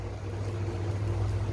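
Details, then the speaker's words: Electric fan after repair, with the thermal fuse replaced, reassembled in its casing with the blades refitted: steady low even drone with no rubbing, ticking or wobble, running normally before an overnight test. "Oke tes tuh kipasnya sudah normal kembali sudah saya rapikan dan"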